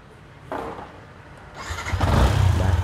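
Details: Yamaha Exciter 150 with intermittent no-start when the fault light comes on, started with lean-angle sensor signal simulated by a 1.4k resistor: quiet seconds, then the single catches and settles into a steady low putter; starts normally.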